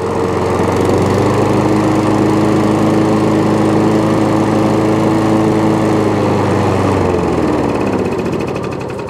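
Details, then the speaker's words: Old Hayter 56 lawnmower after choke cable adjustment: steady single-cylinder drone easing down as the choke comes off, then an even idle; engine runs fine though the drive does not work. "so the engine starts it comes on to choke off a choke uh runs onto uh onto idle there's a height adjustment all works which is good"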